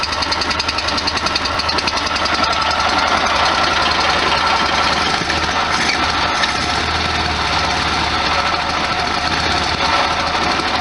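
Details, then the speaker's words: 1973 VW Super Beetle air-cooled flat-four, shortly after a cold start, no throttle; engine vibrating, smells okay. Loud, steady, slightly lumpy idle with even chuffing beat, holding idle on its own. Normal idle. "Ah, the sound of a high MPG motor. Look at that vibration, bouncing up and down. Smells okay."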